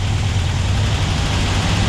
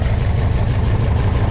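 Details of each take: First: Porsche 356SC with rebuilt 90 hp engine, first start after engine rebuild and install; even, steady low idle with smooth firing rhythm, no knocks or misses; fuel leaks found at the lines afterwards; normal idle. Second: Freshly rebuilt Porsche 356SC engine, about 90 hp, at low idle with a sync gauge on the twin carburetors: low, throbbing idle with an uneven, loping beat; left carb pulls more vacuum than right, carburetors unsynchronized and need equal throttle adjustment.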